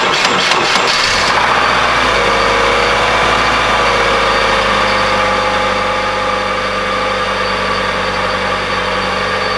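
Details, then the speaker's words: Subaru with about 200,000 miles, fresh belts fitted: engine starts and idles with a steady hum, no squeal; owner suspects a worn accessory bearing, possibly the power steering pump; accessory bearing hum at idle. "well it doesn't sound like any more squeal but you can kind of hear that humming and that's just the bearing that's pretty much just shot in there"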